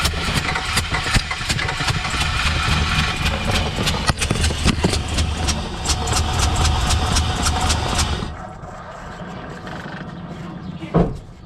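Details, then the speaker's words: Truck misfire test: a rough, lumpy engine runs unevenly on only three cylinders for eight seconds, then cuts out; cylinder four shows 150–160 psi cranking compression with the throttle closed and spark was verified. "I did not expect it to try to run on only three cylinders"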